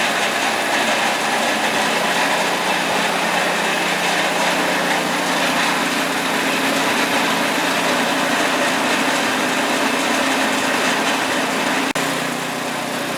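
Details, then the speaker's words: Scrap-heap snowblower after reassembly with a new choke: a small engine holds a steady, busy buzz at one fixed governed speed with no surging or misfires. It is running smoothly. "Well, it runs, and as you can tell, it's nice and safe."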